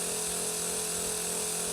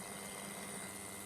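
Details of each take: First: Berdair 12 V pump on a PWM signal generator at 60% duty cycle and 40 Hz: an even, steady whir with a constant high hiss and no pulsing or rattle. It is running much smoother. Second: Berdair 12 V pump driven by an adjustable PWM signal generator at low duty cycle: a faint low hum with a thin high ring. Motor whine is still there at 15 percent; at about 30 percent it is gone and the pump turns choppy, like an old airplane engine idling.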